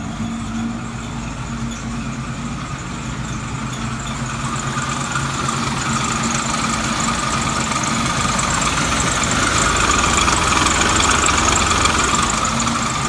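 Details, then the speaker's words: 1967 Mustang six-cylinder, started cold (about 57°F) after sitting a week, now fitted with a Pertronix electronic ignition in place of points. It settles into a steady, even idle with a regular beat and no misses; it runs great. "so it's running great with the new electronic ignition that really works I I love it I never going back to points again ever"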